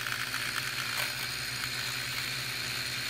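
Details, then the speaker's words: JJRC H37 mini selfie drone on a motor vibration check: steady high-pitched motor whine with a faint rough buzz. The rear propeller is bent and wobbling left to right, shaking its arm. "this one in the rear is giving me a lot of vibration but I can also see by eye that this propeller is not straight it's just wobbling around from left to right"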